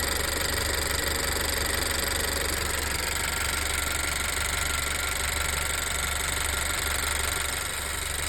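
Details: Honda EarthDreams turbo GDI engine after MotorKote and Marvel Mystery Oil, on 91 octane; owner wonders if AC or belt tensioner mattered: fast, fairly regular light tick about four per second at idle, maybe louder; cause unknown.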